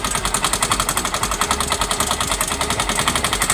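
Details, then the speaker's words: Yamaha Mio M3 125 scooter with CVT cover removed, overdue oil change: loud rough hard knocking about seven or eight per second still present while running, engine knock from oil starvation. "Suaranya masih keras, Guys, ya. Oke, bunyinya masih keras."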